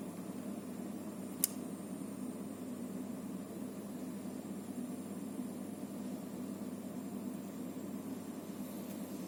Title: Antec TP650 PSU Hissing noise